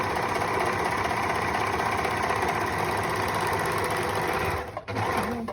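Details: Singer 4-thread overlock machine, pedal-driven, stitching fabric: fast, even mechanical chatter at a constant rate that slows and stops cleanly. Normal overlock stitching.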